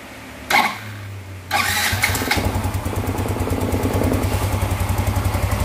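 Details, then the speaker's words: Yamaha Mio Z fitted with an old Vario 125 FI piston after a new block-and-piston set failed within months: starts on second try and settles into a smooth, even idle with no knocking or piston slap; oil confirmed circulating. "Cukup halus teman-teman ya, untuk suaranya cukup halus. Suara cukup halus."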